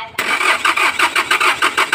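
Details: Hyundai Porter diesel that is hard to start, especially when hot after driving: steady cranking at about four pulses a second with no firing. The crank sensor had been replaced earlier and the injectors checked fine; the cause was a faulty fuel pressure relief valve.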